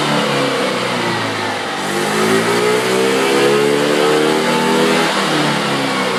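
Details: 50cc two-stroke scooter with $12.99 eBay racing CDI, on Mobil 1 synthetic: buzzy engine climbs steadily to a high, clean scream with no cut-out or stutter, past where the stock limiter would bite. Normal high revving without limiter.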